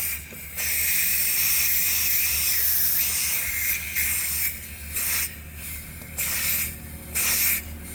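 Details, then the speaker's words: 2018 Audi A8L, compressor disconnected, valve block replacement: red driver's-side air suspension line released, sharp hissing bursts starting and stopping as stored pressure vents; air release demonstrated. "So, let's get these out of the way. Let me take this out. I just wanted to show the air release."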